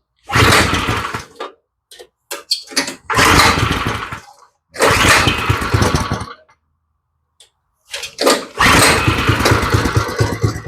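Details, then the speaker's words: Go-kart small engine, first start after mechanical work, no choke, idle screw turned up one half turn twice: ragged bursts with gaps, barely holding idle; idle speed set too low. "see it sounds like the idle's just way low but I don't want to turn it up too far because I don't want to try to run off on me"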